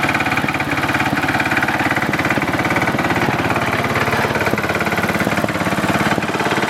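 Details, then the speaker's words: Simplicity Landlord 2010 tractor engine at a steady fast idle after the oil seal was replaced and the engine was bolted down: sharp, regular tapping about three per second; owner suspects a rod knock, unconfirmed, and the carburetor needs fine-tuning. "I think the carburetor still needs a little bit of work a little bit of fine-tuning and I think I hear a rod knock in the engine which is not good"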